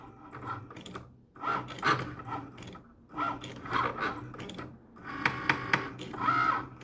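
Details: Cricut Maker: bursts of sharp ratcheting clicks as the carriage moves, with quiet gaps. It cuts and writes poorly, fails calibration with a sensor error, has the carriage far off center, and stopped cutting at 63%.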